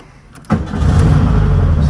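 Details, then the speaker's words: 1972 VW Super Beetle with a week of battery trouble, kept on a trickle charger, started after pumping the pedal: catches right after a short crank and settles into a steady, even low idle. Normal start and idle. "well it started up here it means i have faith that will start up at the gas station"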